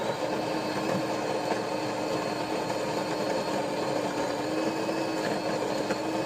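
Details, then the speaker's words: DeLonghi espresso machine (European 220 V via transformer), rechecked after a customer complaint of a loud pump and low coffee flow: a steady, even buzz with no rattles or surging while brewing. The pump sounds normal. "The pump sounds good. I mean, there's no problems with the pump. 100% normal. That's completely normal sound. And there's no problems at all with the pump."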